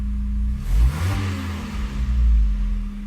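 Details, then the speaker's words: Megasquirt-tuned car with custom headers, warm, idle AFR near 14.0: quick throttle blip, then revs drop and sag below idle before recovering; idle stepper initial values set too low and need raising. "And you can see the engine RPM drop, and look at the idle stepper position."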